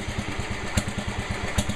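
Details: Restored low-hours Sears 10XL riding mower tractor engine at steady idle, quick regular low putt-putt firing evenly with no misses: normal idle.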